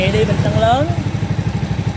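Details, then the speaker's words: A small single-cylinder SS50 converted to CL style, with an Alpha cylinder, idles with a quick beat and light ticking on top. It is loose valve clearance, and tightening the rockers under the two adjuster caps will quiet it. "Xe này các bạn muốn im á, gỡ hai nắp chỉnh cò, mình tiết hai cái đầu cò, hai cái đầu xúc bắp lại tí là bao im luôn ha."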